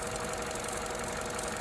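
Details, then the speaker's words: 2014 Opel Corsa D 1.4 at idle: sharp, irregular ticking snaps from the top of the engine as cylinder 4 coil voltage shorts to the block; failed coil pack, replaced. "Now this sound in particular is quite typical of a failed coil pack, but just for fun, let's rule out some other potential causes."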